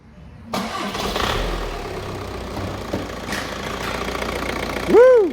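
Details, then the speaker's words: Seat Leon 2.0 TDI 140bhp BKD diesel, a non-runner with a snapped cambelt and suspected bent valves, after cambelt repair: a short crank, then it catches at once and settles into a steady, even idle with no knocking. "She runs! Yay!"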